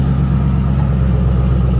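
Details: 1984 GMC/Chevy G20 conversion van, abandoned for years and a suspected flood car, idling after starting, A/C blowing cold: a steady low rumble with an even beat and no knocks, misses or squeals; runs really well, normal idle.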